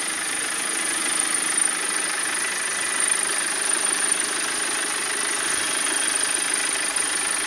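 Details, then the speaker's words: 2010 BMW 520d diesel at idle: steady idle with a thin, constant high-pitched metallic ring in the background, caused by a broken engine mount; the ring stops when revved. "sakın arka planda bir çınlama sesi geliyor kullanınca Bu aracın motoruna zorunda birini kırık olduğunu gösteriyor"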